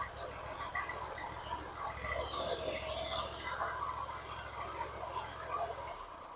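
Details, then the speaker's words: Hustler zero-turn mower, first start by jumping the solenoid with a screwdriver since the key only clicked: small engine catches and settles into an even low hum, no knocks or misses; engine fine, owner suspects a bad solenoid. "wow it just started right up that was the first start okay well now I know that the engine works so sounds like it just needs a new selenoid"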